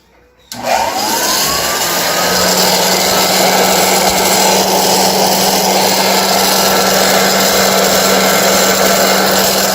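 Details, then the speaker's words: 1923 GE Premier Junior vacuum cleaner being restored switches on and spins up to a steady hum with a rough, gritty rush from noisy brush roll bearings; much quieter with the belt removed. "well first things first we have noisy bearings on the uh brushes on the brush that collects the dirt"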